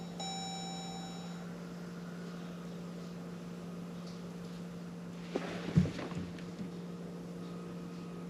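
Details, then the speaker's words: 2015 Jeep Grand Cherokee EcoDiesel, 130,000 miles, key-on after fuel filter change, key cycled repeatedly to prime: short chime, then steady low electric hum with a click partway; fuel pump priming normally. "hopefully you can hear it run and then you can hear it click and it'll stop you won't hear a noise anymore so we'll do it [Music] again we'll do it one more"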